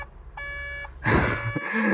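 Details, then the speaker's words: 140 LCR construction machine reported with an SCR malfunction, in the cab: a single steady beep of about half a second, then cab noise; the warning is catalyst (AdBlue) tank level low. "Oh, I hope not. Oh, it is, look. Catalyst tank level low, catalyst tank level low, catalyst tank level low. Right, let's put some AdBlue in it."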